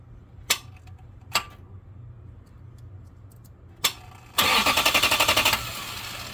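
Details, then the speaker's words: 2004 Lexus GX470, starter energised directly with 12 volts via jumper, bypassing the relay: three sharp solenoid clicks with pauses, then the starter finally spins up; delayed crank points to bad starter contacts or a failing starter. "okay so so as you can see it looks like it starts fine and then there's a delay um I do hear the solenoid clicking so power is getting there"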